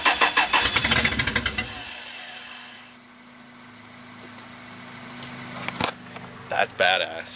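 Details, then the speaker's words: 1994 Toyota 4Runner 5VZ-FE 3.4L after a rewire, first start attempt: starter cranks quickly and evenly for about two seconds but never catches; crank no-start, owner suspects not enough fuel or weak battery, fuel pump/sender to be checked. "Yeah well yeah but uh yeah I don't think she's getting enough fuel now so freck I'm going to have to take apart the fuel pump"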